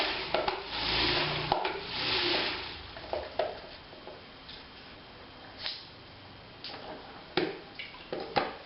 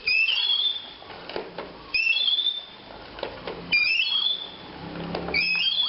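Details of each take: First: 3M spin mop after repair (spinner screw mechanism removed, cleaned and regreased) that had been noisy and stiff: only soft water swishing in uneven bursts as it spins, no grinding or squeal; normal operation. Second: 3M spin mop: a high sliding squeal each time the pole is pumped, with plastic clatter, from the inner spiral shaft gone stiff after water got in; fix is cleaning it and applying plenty of new grease.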